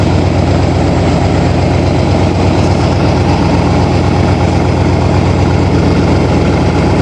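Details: 1987 Toyota Supra MKIII with swapped 350 Chevrolet Vortec V8 and 700R4, restarted after rebuild with distributor cap corrected 180° and valve lash reset: loud, deep, steady rumble, even beat, no knocks or misfires; normal running.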